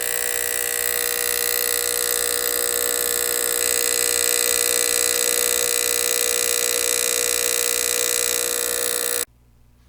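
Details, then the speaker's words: Sanyo CRT TV DS19330 (chassis 19330-01, hot chassis): harsh, steady buzzing clicking at switch-on with a good picture; the power relay chatters from a bad capacitor, and replacing the capacitor stopped it. "This TV had a clicking sound when you turned it on. The picture looked good, but this very annoying clicking sound was still present at all times."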